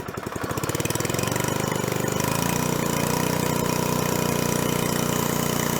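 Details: 1970s scuba tank air compressor after belt pulley fitted, intake filter cork removed: catches after a few uneven firings, then settles into a steady, even chug about 150 beats a minute; runs normally.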